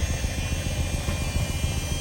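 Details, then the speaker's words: 1985 Mercedes 500SEC Euro coupe V8: low rumbling idle with an uneven, stumbling beat and irregular dips, unsteady idle and misfire; one spark plug is damaged and one plug wire torn, plus an exhaust leak at the resonator/muffler. "unsteady idle misfire that's all Associated that I can pinpoint confidently"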